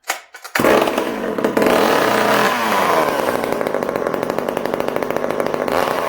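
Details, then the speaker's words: Hot-rodded Homelite chainsaw, cold start after sitting a few days: fires on the pull, revs up and holds a crisp, even two-stroke buzz with no bogging or misfire; muffler reportedly throws flames; runs strong. "I know you guys have been dying to hear that run."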